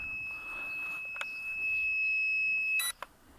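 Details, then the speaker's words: Lightweight carbon-frame quadcopter (JJ1000 board) with a 1.7 g magnetic active buzzer: a shrill steady tone for nearly three seconds, then it cuts off. This is the lost-model locator beeping. "In the case you lost connection, it will fall down and will beeping."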